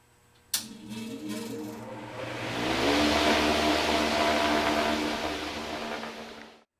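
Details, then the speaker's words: HVAC motor with a good run capacitor at start-up: comes up to speed quickly and quietly with a smooth even hum, no rumble or growl; normal motor start-up. "but when they start up you know it all just be a quiet start fairly fairly quick start no uh no rolls no rumbles no grunts no Grans"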